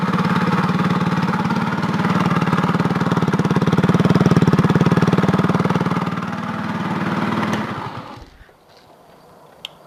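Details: GY6 four-stroke scooter, air-cooled single, with loud open exhaust: steady regular knock under the exhaust beat at idle until shut off; worn connecting rod big end bearing.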